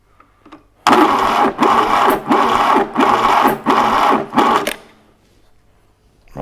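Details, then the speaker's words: 1968 Fiat 500 twin-cylinder engine, unused since the early 80s: several short sluggish, labouring cranking bursts, too slow to fire, never catches; starter motor suspected as half the trouble, timing or advance also questioned. "I'm not sure that the starter motor isn't half the trouble it's only just turning over is it the timing or Advan the"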